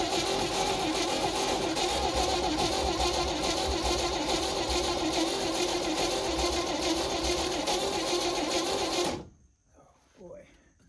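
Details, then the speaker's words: 1971 International truck cranks fast and evenly for nine seconds with ether, only one plug firing, never catching; low compression and heavy valve-cover blowby, owner suspects worn rings or timing chain jumped a tooth. "we did get one plug to fire there a little okay not good so far more troubleshooting"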